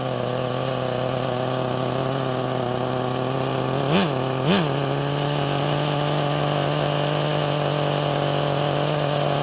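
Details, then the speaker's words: HPI Nitro MT RC truck, first start in probably 20 years, started easily: smooth, steady high-pitched buzz with two brief throttle blips, then settles straight back; clean, stable, normal idle. "I usually don't have brand new cars that idle this well"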